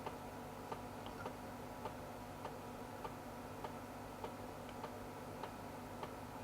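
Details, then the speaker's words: Sony VAIO PCG-FX501 laptop internal floppy drive during a full (non-quick) format: quiet, sharp ticks a little under once a second over a faint hum as the head steps; progress bar updating correctly, working floppy. "don't know how well you can hear that but it sounds like it's moving correctly the progress bars updating correctly so that's all good sounds like we have a working floppy which is nice"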